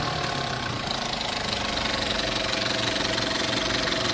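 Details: Škoda Octavia 1.4 TSI at 152,000 km, timing chain already replaced elsewhere for a morning chain noise: sharp, fast ticking about four per second at light idle, loudest up top; collapsed hydraulic lifters clattering, several found burst.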